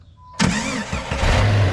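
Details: 1998 Jeep Grand Cherokee Laredo, 4.0 L automatic, after fuel pressure regulator replacement for starting issues: quiet, then the engine fires straight into a steady idle with no stumble; a clean, healthy start, and fuel pressure is holding.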